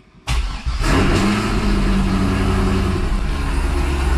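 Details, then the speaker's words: 2005 Chevrolet Corvette V8 first fire-up after a new battery and with the fuel pump relay plugged back in: starter whirs, engine catches and settles into a loud, steady, even, deep-rumbling idle, about 58-60 psi fuel pressure. "right guys there you go we have the system fired up and it's freaking loud in here"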